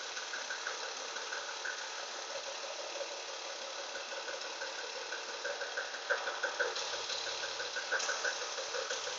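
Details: BMW E36 with M52 petrol engine idling with a steady tapping knock, about three a second, over the running noise.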